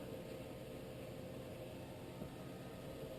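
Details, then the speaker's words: Whitfield pellet stove, cold after sitting, thermostat raised to 19, before lighting, auger under repair: soft even low hum with gentle airy hiss, no knocks or rattles; running normally in slow mode. "so you can hear right now she's in slow mode she is barely running"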